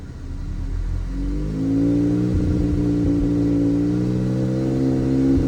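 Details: 2018 Audi A3 8V 2.0 TFSI turbo petrol engine misfiring under load and at idle: revs up and holds with an uneven, stumbling beat; misfire counter, fuel trims and high- and low-pressure fuel pump values were checked in VCDS.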